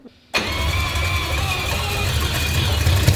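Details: Turbocharged 4-rotor rotary engine after injector work: quiet, then starter catches and it fires straight into a strong, rough-edged idle that steadily builds; healthy start.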